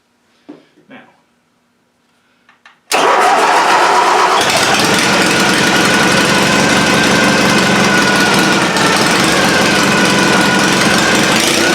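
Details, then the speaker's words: Stock-class pulling tractor revived after about 10 years in storage, fuel system winterized with WD40. After quiet clicks the engine catches and idles steadily, but only on fuel poured into the carburettor; the fuel system needs redoing. "all right maybe I don't have enough fuel in it dump a little bit down the yet okay"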